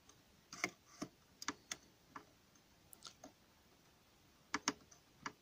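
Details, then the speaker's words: Lever-lock strongbox (armoire forte) being picked open: faint, scattered small clicks in near silence, irregularly spaced, as the levers move; a good sign, though levers can sometimes jam and the mechanism must not be blocked. "ce qu'on entend c'est petit clic toujours bon signe les gorges se déplacent mais quelquefois se déplacent se coince un endroit"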